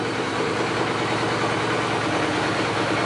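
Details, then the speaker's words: Suzuki GS850 at warm idle just above 1000 rpm after new shimmed slide needles and carb synchronization; steady, even four-cylinder idle with crisp throttle response and no ticking, lifter noise or misses; normal idle. "sounds really good I hardly hear any kind of lifter noise or anything out of the engine the throttle response is crisp"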